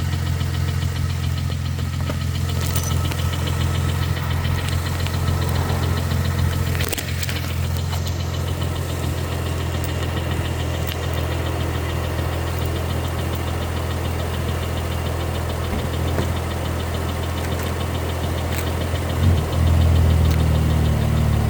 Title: 2013 Ford Flex Ecoboost engine knock noise